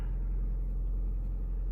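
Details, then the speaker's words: 2008 Honda Civic Hybrid on cold start after replacing the top engine mount that caused idle vibration, buzzing and cabin hum: low, smooth, even idle rumble with no shake or knocking; normal idle. "it's quieter idle's good no weird sound so i'm quite happy with it"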